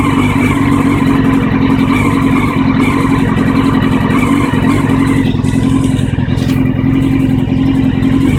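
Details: 1999 Honda CBR600F4 four-cylinder at idle: loud steady but lumpy, uneven beat at low revs despite cleaned and balanced carbs, new air filter, fuel filter and plugs; runs fine at higher revs; rough idle, cause unknown.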